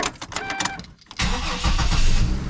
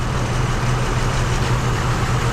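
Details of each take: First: 2005 Isuzu SUV, Vortec 4200 inline-six, after reassembly: cranks, catches and settles into a steady, even idle with no stumble; no longer misfiring, no check engine light. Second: 2005 Isuzu SUV, idling after the coil pack was swapped from the misfiring cylinder: pulling the moved coil's plug wire makes the uneven, lumpy idle stumble rougher, showing the misfire follows the coil pack.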